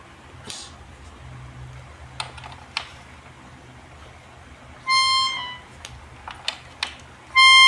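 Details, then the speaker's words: Melodica (pianika) after repair of a valve left open near membrane; two held notes clean and steady, single clear pitch, no doubled tone; normal sound. "akhirnya pianikanya sudah jadi ya dan suaranya normal tanpa ada suara dobel"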